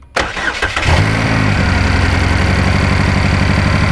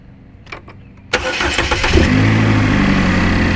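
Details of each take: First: 2012 GMC Terrain 2.4L EcoTec after timing chain and balance chain replacement for chain-wear noise: catches after a brief crank and idles with a stumbling, uneven beat; a misfire appeared although it ran fine on the first start-up. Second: 2012 GMC Terrain 2.4L Ecotec after timing chain and balance chain replacement for chain-wear noise: starter cranks briefly, the engine catches cleanly and settles into a smooth, even idle with no knocks or rattles.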